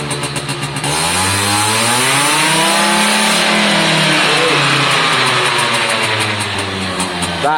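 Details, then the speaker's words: Suzuki AP50 two-stroke after a carb clean, test run: revs climb cleanly into a high, buzzing scream and hold steady at full throttle without stumbling; strong, healthy running. "when you build it up you can get a huge top end i'm going to let you listen but if you just open the photo now it'll stall so when you build it up massive top end so listen to it scream"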